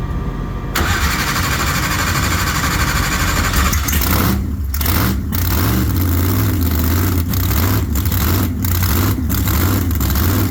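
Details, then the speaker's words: Race car's big V8 fires up after bad axle bearing replaced (gear oil leak), warmed before Q1: lumpy, deep idle stays smooth and steady, gear temp stays good while running; normal warm-up idle. "how's it looking Steve I think we got something to work with now yeah so idle smooth and gear temp stays good while it's running so yeah we'll go with"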